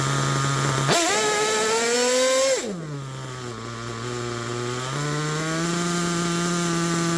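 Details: Picco P3TT DLC nitro engine, almost 10 gallons through it, new bearings and connecting rod, worn crankshaft, damaged sleeve and block: high-pitched screaming rev drops to a sagging idle that creeps back up unevenly; idle won't hold steady.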